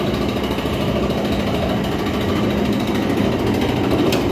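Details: Whirlpool clothes dryer running with loud, rapid, rattling grind as drum turns, from worn-out drum rollers; fixed by replacing the roller kit.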